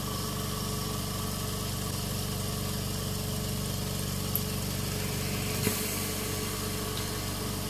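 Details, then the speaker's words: Invacare Perfecto oxygen concentrator with its cover removed: the compressor starts and runs with a steady low hum and an even pulse of about four beats a second, no knocks or rattles; normal running. "so let's turn it on while the cover is removed compressor starts running"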